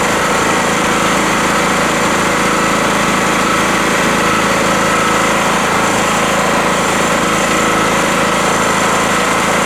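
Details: Rotakt generator warming up with no load after its first start, choke at run, 232 V output: steady buzzy drone holding one speed with no surging, knocking or misfires, running normally.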